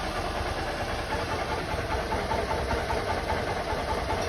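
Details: 2008 Honda Titan 150 single-cylinder after replacing a worn-out cam chain tensioner that made a rod-knock-like noise: even idle with only soft gear whir, no knock.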